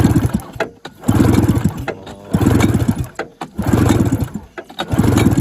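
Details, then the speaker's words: 1980 Yamaha Enticer 340 snowmobile, sat for years: short bursts of slow even cranking without firing during compression test reading a uniform 75–80 psi, very dry engine; low compression. "80 is definitely not great guys but as dry as this thing is dry as dry as a lizard fart"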